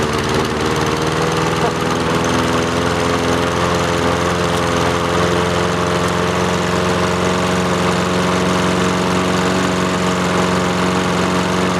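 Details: Free roadside lawnmower with Honda engine, started after opening the fuel valve; steady, even small-engine drone with constant pitch, no misses or knocks; runs normally.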